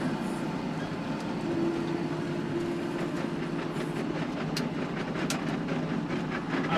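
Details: John Deere tractor power harrowing in very wet, muddy conditions; steady tractor drone with irregular sharp metallic clacks as stones strike the harrow tines.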